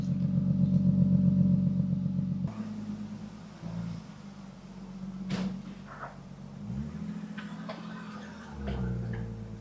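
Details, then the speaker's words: BMW E36 in rough shape, idling about 10 minutes with an additive before an oil change: steady, even low engine hum with no knocking or missing beats; runs smooth and healthy. "even though this car is definitely in a rough shape it just sounds awesome"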